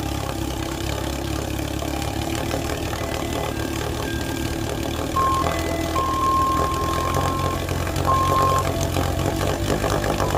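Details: 1948 Sea King 5 HP two-stroke outboard on its first run and break-in after mechanical rebuild: steady, even beat of about four firings a second with no misses; running normally.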